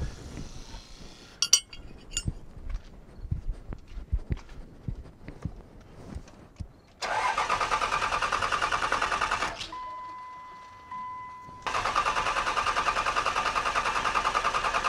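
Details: Cummins 5.9 24-valve diesel in a second-generation pickup, after fuel pump replacement: long cranking, then catches and runs evenly, stops and restarts cleanly once air bled from injector lines; no-start blamed on old pump and air.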